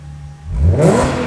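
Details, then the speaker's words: Audi S4 after custom X-pipe and resonator-delete exhaust work to cure the raspy note: revved with clutch down and traction off, a quick blip rises to a deep, full growl with no thin high-pitched rasp. "there we go W that sounds a lot better A lot better than what it did so before it were really tiny really high pitch that's put a nice deep tone to it now"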